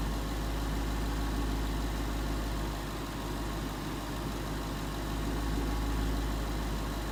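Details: 2011 Ford Mustang GT 5.0 Coyote V8 with Roush exhaust at first start in an echoey garage, after all eight rod bearings (King CR868SI) and TTY rod bolts were replaced and 5W-30 added: deep, even idle, steady burble; earlier tick and knock gone.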